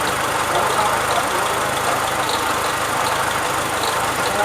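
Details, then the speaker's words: Renault Sandero with an engine noise and the temperature gauge going up and down. Steady idle under a loud hiss with faint irregular ticking; the noise was traced to a loose timing belt, with a timing belt kit replaced. "mas é o barulho estava fazendo era da correia dentada"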